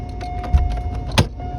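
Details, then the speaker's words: 1992 Cadillac Fleetwood FWD sedan, key on and engine off: a steady mid-pitched motor hum with a few clicks and knocks as the defroster blower and idle speed control motor run; a failed body control module is suspected. "There we go. You can hear the defroster going cuz it probably needs a body control module. As I said, you can hear the idle speed control motor going as well."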